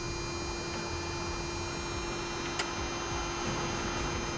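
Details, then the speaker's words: Autonomous reefer unit on a DAF LF 210 truck, switched on from the cab control panel: a steady even hum with no knocks or rattles while it runs its normal power-on self-check before starting. "Нажимаем кнопочку включения, ждем, когда холодильник сам себя диагностирует и запустится."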